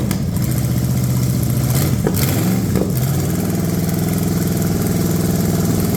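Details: Cheap Ford 460 V8 revival run, lawn mower tank gravity feeding original mechanical pump, no coolant: deep even idle swelling with quick revs and settling smoothly, no clatter or smoke, 40 lb oil pressure once warming; normal idle and revving.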